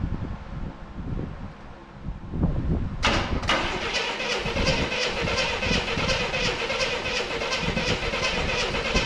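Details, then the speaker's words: 1984 Chevrolet C10 pickup, inline six, 84k miles, parked since 1993, radiator removed: cranks at about three even beats a second without firing; ants and corrosion found inside the distributor. "That could be a reason why it doesn't want to fire. That is also a reason why it doesn't want to fire."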